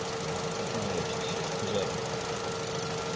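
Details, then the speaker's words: Opel/Vauxhall Astra J 1.4 after new spark plug and ignition coil for a cylinder 1 misfire: steady, even idle with constant hum, no stumble or skipped beats; scanner shows misfire counts zero on all four cylinders. "Zero. Ăsta e history și a avut, dar acuma e zero. 0 la 2, 0 la 3 și la 4."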